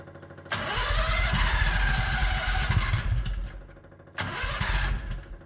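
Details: 1969 Renault R10 with 670cc Predator V-twin, manually choked carburetor, electric start: cranks and catches, then slow lumpy uneven idle with dips; idle too low while engine is cold.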